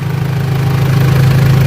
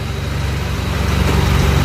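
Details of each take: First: Mitsubishi L200 Triton 3.2 diesel, just started cold: deep steady idle with no timing chain rattle; chain noise only appears at normal operating temperature, chain kit to be replaced. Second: Mitsubishi L200 Triton 3.2 diesel warmed to working temperature at idle: steady clatter with metallic chatter on top; timing chain knocking when hot, mechanic says chain expands.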